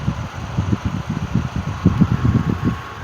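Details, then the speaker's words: Unrestored 1950s Wizard hassock fan: low hum with uneven, lumpy thumping as the motor slows and drags on the low setting. It also coasted to a stop quickly when switched off; it needs restoration work. "you can see how it's starting to slow down at low"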